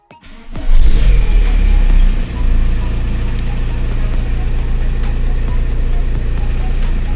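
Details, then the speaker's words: Audi A4/Passat B5 after clutch replacement and gearbox seal and release bearing change: cranks, catches, settles into even steady idle with no clutch or flywheel knock or rattle; less vibration than before. "Y os voy a arrancar el coche para que veáis cómo suena, cómo entran las marchas y demás."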